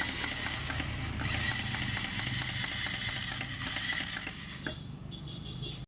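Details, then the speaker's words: Bajaj Pulsar 220 BS6 engine with tank and side panels removed: rapid metallic clatter about four knocks a second over a busy idle; teardown found valves touching the piston and a worn camshaft, piston to be replaced. "इधर valve touch हो रहा था इसलिए गट घट घट घट करके आवाज हो रहा था।"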